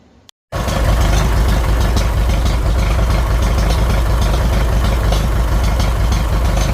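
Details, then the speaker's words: 1957 Farmall 450 diesel tractor after injection pump reseal, cranked to bleed fuel: unexpectedly fires right off, then settles into an even, steady diesel chug about three beats a second, no misses; running normally. "I didn't think she was going to start up so easy um I just went ahead and I wanted to crank it to uh bleed her out and um yeah she fired right off no problem"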